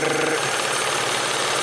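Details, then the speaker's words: 1994 Ford Probe V6 warming up at idle: loud, busy knocking rattle over the running engine; timing belt tensioner out of oil, seen through an inspection cover, needs a timing belt job. "there's this concerning knocking going on uh wow I don't know if I want to drive this thing too far with a knocking timing belt"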